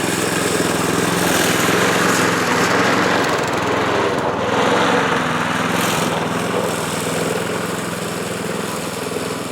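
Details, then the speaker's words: Yard Machines Gold Series (MTD-built) mower with a pre-cleaned replacement carburetor, mowing grass: the small engine labours and surges unevenly, its beat wavering; it runs poorly, with smoke from oil added to the cylinder. "I'll show you guys what this thing's doing and I'll give you guys a little bit of a mow too but just ain't running right"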